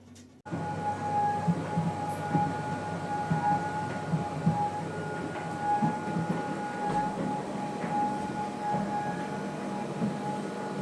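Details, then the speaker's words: Arçelik tumble dryer suddenly developed a loud, steady drone with fixed-pitch hum over rumbling tumble, unbearable indoors; cause traced to drum support wheels, fixed at no cost. "Evet, izlediğiniz gibi e inanılmaz yüksek bir ses vardı, uğultu vardı. Evin içinde durulmuyor yani. Eee, çok rahatsız edici bir ses."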